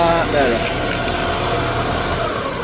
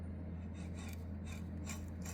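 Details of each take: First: Quill replaced on a 1979 Shopsmith Mark 5: steady motor hum with no knocking or rattle as it spins down and restarts; the whole machine runs much quieter after the repair. Normal running. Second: 1979 Shopsmith Mark 5 quill being hand-turned slowly in a quiet room: dry gritty rasp repeating each turn with visible wobble, unlike the near-silent new quill; rough worn bearing, quill being replaced.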